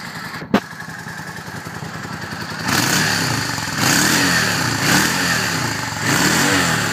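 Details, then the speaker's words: 2003 Yamaha V-Star Classic touring motorcycle, 25,000 miles, in neutral; fires up with a thump, then a steady loping twin idle with a few throttle blips, even and clean with no knocks, healthy. "It starts right up. Idles nicely."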